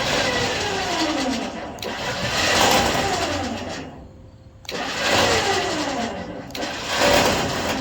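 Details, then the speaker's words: DK2 Warrior Samurai 17,500 lb winch on roll-off dumpster trailer, about 3 years of near-daily heavy use: harsh grinding with falling motor whine when paying out near the end as brake engages; gear teeth found ground, winch rebuilt. "So it sounds like it's hitting a gear. So as it starts to want to brake, it makes a horrible grinding noise."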